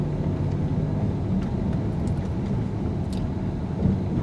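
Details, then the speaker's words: 2019 Ford Edge ST 2.7L EcoBoost on 21-inch wheels over speed bumps at 20–25 mph: low rumble with dull wheel thumps, more noise on the big bump; suspension firm but nothing loose, normal tire thump. "number one pretty smooth but you hear that thumping from the big wheels number two number three and the big nasty one coming up more noise and impact not too bad overall really all we did okay over the speed bumps"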